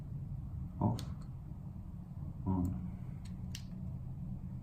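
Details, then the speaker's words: Fan coil AC unit after replacing a Honeywell T6574A controller with a T6861 and swapping fan-speed wires: low steady fan hum with two sharp relay clicks about 1.5 seconds apart; fan speeds now switch correctly. "they took a while for it to figure out what it's doing but you can hear there was relays so now lo seems to be low medium it's medium high it's high"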